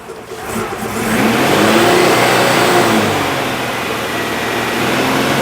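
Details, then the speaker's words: Citroen engine with no timing chain or belt, after exhaust repair with exhaust paste: revs up and settles with a light, uneven rattle or scrape seemingly from the back of the engine; owner suspects the new alternator's bearing failing, source unconfirmed. "There's an odd rattling noise. I don't know if that's the alternator bearing going into meltdown or something else."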